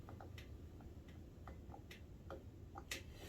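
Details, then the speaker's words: Suzuki LT125 ATV (said to be 1985) turned slowly by hand with good compression: scattered light ticks and a sharp click, not a clunk, in both directions; owner doubts a rod and suspects the valve train, possibly a slack cam chain. "It's not like a rod click. See, it clicks. And in the reverse direction. It's a click sound, not a clunk sound. So I doubt it's a rod. So it's probably something to do with the valve train."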